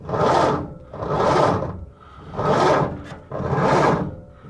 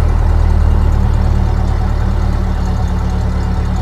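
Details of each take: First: 1930 Ford Model A Deluxe Coupe, long stored, with a flaky ignition switch. Starter drags the high-compression engine over very slowly, under one heave per second, from a lousy weak battery. A bigger battery was brought in afterward. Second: 1930 Ford Model A Deluxe Coupe, revived after storage since 1980, distributor reassembled and coolant added: low, steady four-cylinder idle with an even beat and no misses or knocks. Normal idle, though oil later found entering the muffler.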